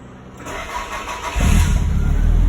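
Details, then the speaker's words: Toyota Celica ST185 GT4 at MOT retest, battery fully charged and holding 12.87 V, alternator later showing 14.4 V. Brief crank, catches at about 1.5 s and settles into a deep, even idle; fault codes gone, healthy start. "charging systems working the fault codes have disappeared idle is good that sounds pretty silky smooth"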